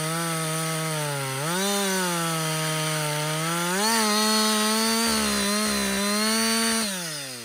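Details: Husqvarna 562XP two-stroke chainsaw, back from the dealer after being reflashed for dying when hot and failing to start, now hot after long continuous cutting: crisp steady high whine, bogs slightly into each cut and snaps back cleanly; healthy running under load.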